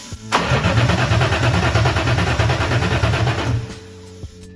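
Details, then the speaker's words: Volvo 240 with a swapped BMW M52 engine, newly wired, with the EWS unit flashed to run without the key: the starter churns steadily at about three turns a second for three seconds but never fires; cranks with no spark. "so far, I have been able to crank it, but not start it. I don't know what's the problem, but we're not getting any spark here."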